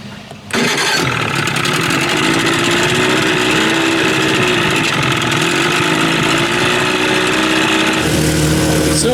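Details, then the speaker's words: Evinrude 30 hp outboard, first run after under-flywheel ignition conversion; catches and runs with busy, uneven buzz that never settles, doesn't sound right; cause unclear, CDI has 6100 rpm rev limiter: rough running. "I'm trying to get out of the wind get over here she don't sound right hear that"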